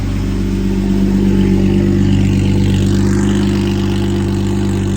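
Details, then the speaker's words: Lamborghini Murcielago V12 with two ECUs and two fuel pumps, basically two six-cylinder halves: lumpy, uneven hum with flat missing note, running on only one bank; cause not yet determined. "one bank running on one bank here we go"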